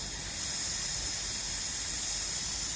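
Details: Land Rover L319 whose suspension drops overnight with no fault codes: the removed old air spring, under light air pressure with no engine running, gives a continuous sharp hiss of escaping air. Air spring leak.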